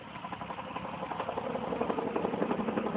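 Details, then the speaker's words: Lexus ES300 at auction, with AC compressor noise in question: steady light knock at idle, about three beats a second, over the engine note; it goes away when revved, origin unknown. "Some sort of knocking noise. Try revving the gas up on it a little bit, but I don't know. Let me see. It goes away when you hit the gas."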